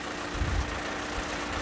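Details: Bandit 200XP diesel wood chipper at low rpm, no throttle, clutch eased in: low idle with a steady hum, disc takes up smoothly without slipping, squealing or grinding; clutch engaging properly.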